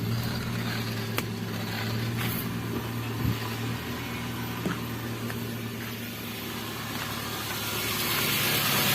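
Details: Toyota Avanza power steering pump after repair (hardened O-rings, dirty fluid and clogged filter addressed), cold engine idling near 1000 rpm: even idle with faint steady pump hum, groaning gone.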